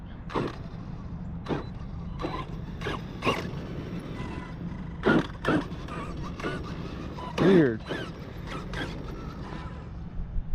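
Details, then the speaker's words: Arrma Outcast 8S EXB RC car after crash repairs, turned slowly: scattered sharp clicks and creaks at uneven intervals, not heard on every turn; intermittent clicking inside the drivetrain. "there's still something clicking in here there's a hear it there's something I I don't hear it every time but here it went like"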